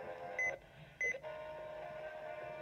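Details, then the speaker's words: WR300 radio tuned to KDKA 1020 AM: short high beeps, then a wavering mid tone drifting over faint hiss, siren-like noise; absent on WBZ 1030, cause unknown. "there's my 300 making like random noises on it"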